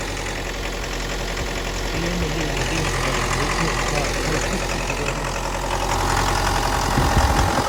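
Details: 2011 Mitsubishi L200, 2.5 diesel, automatic, odometer 79,000 km suspected rolled back: rough idle with loose knock about four times a second over heavy clatter; engine knock at idle, cause unknown.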